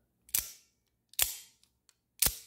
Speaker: that's springy sound that doesn't mean that there's anything wrong with the knife it's just the Acoustics are resonating from the inner Springs that deploy the the knife in both directions